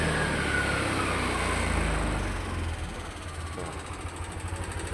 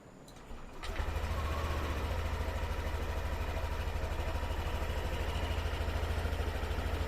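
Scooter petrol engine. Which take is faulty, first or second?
first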